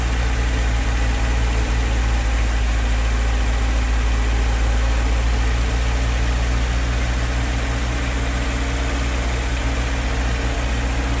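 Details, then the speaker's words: 1963 Humber Sceptre, stood seven years, after new plugs: low, steady tickover holding even with no misses or hunting, idling smoothly on its own; clutch is seized. "Beautiful. Well, it's ticking over on its own."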